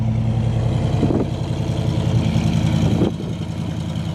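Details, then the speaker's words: Mustang with a newly rebuilt 347 V8, first start after winter storage with the fuel pump primed: deep, even, lumpy burble with a couple of light throttle dips; strong, healthy idle. "She looks good though. She's looking awesome. She sounds great. Listen to that."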